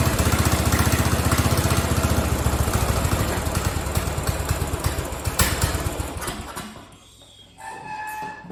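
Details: Craftsman riding mower 917.273760, free fix-up, loose pulley and loose exhaust: single-cylinder thumps about three a second, uneven and faltering, nearly dying, like a hit-and-miss engine; rough running, cause unconfirmed.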